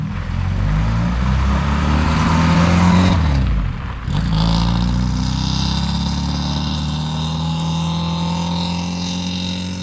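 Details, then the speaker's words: Saab Sonett on a drive after servicing following a 700-mile road trip, before the ignition timing was set: the engine pulls cleanly, dips on a gear change, then settles into a smooth, even, quiet drone with no exhaust ticking. Normal running. "almost doesn't sound like my car anymore it's so quiet"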